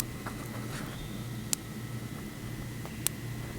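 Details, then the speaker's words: Electric fence pulse grounding out through grass touching the hot wire, mic held down at the spot: sharp ticks about every 1.5 seconds as the fence arcs into and burns the grass. "well here's one of those spots where it's grounding out and I'll hold the mic down there so you can hear it ticking obviously there nothing too crazy"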